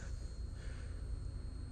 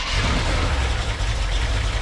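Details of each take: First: Car with a non-starting engine, key in the on position: thin, steady high-pitched whine over a low rumble as the electric fuel pump runs and builds pressure, gauge climbing to about six; a fitting leaks slightly. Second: Carbureted Corvette on jump pack, fuel pressure about 5-6 psi at carburetor; steady fast starter cranking about 200 per minute, no firing, pause, more cranking; crank no start, owner suspects carburetor fueling issue, unconfirmed.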